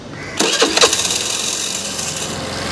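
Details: Suzuki Access BS6 FI scooter showing FI warning and check-engine light; catches after a couple of cranking bursts and holds a fast, steady idle that stays too high instead of dropping; high idle, cause not yet found (mechanic suspects a cut wire).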